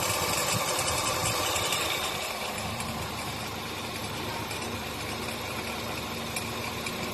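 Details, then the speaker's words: Nissan Teana (天籁) idling with a dry, fairly regular rattle about three beats a second, caused by a worn one-way clutch pulley on the original alternator; fixed by repairing the scored shaft and fitting a new pulley instead of replacing the alternator. "那这个异响就是这个单向轮的磨损导致的，到修理厂说需要换总成，"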